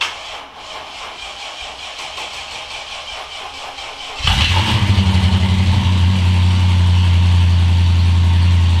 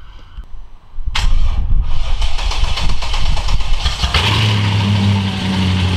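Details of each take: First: Mercedes E55 engine, very first start after a rebuild and AEM FIC adjustment: several seconds of cranking, then it catches with an uneven, lumpy rhythm before settling to a steadier idle; rough start, which the owner blames on air in the fuel lines. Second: Mercedes E55 V8 after full engine rebuild, first start-ups: cranks briefly, runs rough a few seconds then settles to steady even idle; normal idle.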